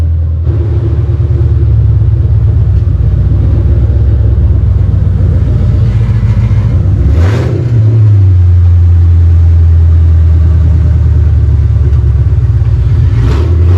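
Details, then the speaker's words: 4.6 V8, run on long-tube headers with no exhaust: loud deep lumpy open-pipe rumble with a quick rev rising and settling back; sounds nice, normal running and revving. "let's see what she sounds like it's gonna be loud yeah it's a 4.6 oh this thing got a little trick where i gotta unlock it [Music] oh yeah sounds nice"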